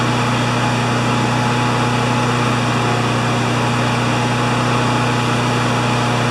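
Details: Honda GCV160 mower engine after governor arm bending: flat, even high-pitched drone without hunting or surging, measured about 3589–3612 rpm at governed top speed.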